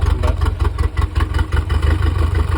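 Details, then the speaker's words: 1983 Galaxy boat engine, after head gasket sealed with RTV and no compression, now running: deep lumpy idle throbbing unevenly, shaking badly, clacky valves; misfire suspected, not confirmed. Rough idle. "here's the boat running it sounds like it has a lumpy cam right now i think we think it's misfiring or something"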